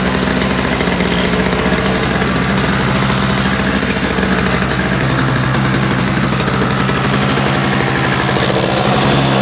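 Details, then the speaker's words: Free roadside-find Toro single-stage two-stroke snowblower, primer bulb missing, electric start not working, running briefly on sprayed starting fluid: loud uneven buzzing that fades as fluid burns off; fuel delivery problem suspected, not confirmed. "yes there's some gas in there let's see what I got cuz that actually ran it for a little longer than it should have"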